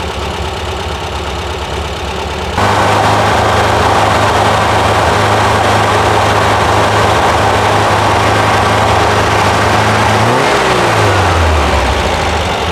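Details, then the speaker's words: 1971 VW Squareback air-cooled engine with new valves and 40mm carbs, just reinstalled: catches and settles into a smooth, even idle, steady beat, no knocks or misses; running fine, valve cover still leaking oil. "sounds good running fine make sure I don't have an oil leak"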